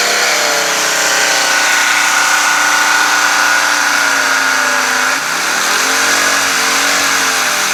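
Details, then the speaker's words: Engine-driven pressure washer, engine runs fine after throttle linkage adjustment, pump engaged: runs fine for about a second, then a harsh, gritty metal-on-metal grind with a brief load dip; pump grinding noise, owner suspects low or leaked pump oil. "is that when it's engaged right it runs fine for like a second and then it goes to like this this sound where it seems like it's metal grinding on metal"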